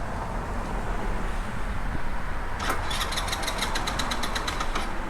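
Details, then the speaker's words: Scooter bought used, crank no-start: starter spins with quick even ticking for a couple of seconds, almost fires but never catches; cause was the kill switch left on. "The kill switch was on. Oops. I've since learned don't use the kill switch."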